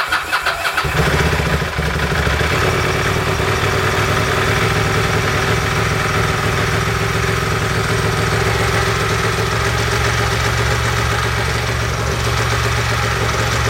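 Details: Ducati 916/748/996 four-valve desmo V-twin, first start after a timing belt change, using the fast idle button: cranks and catches within a second, then a steady, even fast idle with no ticking or knocking.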